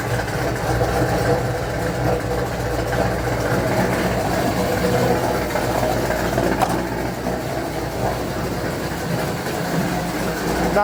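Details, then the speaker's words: 1975 Dodge D100 with rebuilt 417 stroker V8, timing just set to 16 degrees after fixing distributor gear, steady slightly loping idle with faint puffing tick; exhaust leak at header-to-collector gaskets, mainly passenger side, still to be replaced. "Like I said, there is still an exhaust leak. I got to replace the gaskets from between the header, collector, and the rest of the exhaust."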